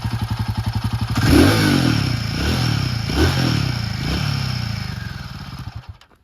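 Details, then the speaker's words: Royal Enfield Himalayan 450 single-cylinder revved from idle: a light whistle rides on the revs, said to be normal on every 450; the earlier tappet-like ticking is gone, leaving a normal, slightly loud engine. "यह जो इसने whistle किया यह sound आपको हर bike में मिल जाएगा हर 450 में every each and every 450 जो है चल रहा है रास्ते पे उसमें आपको यह साउंड मिल जाएगा"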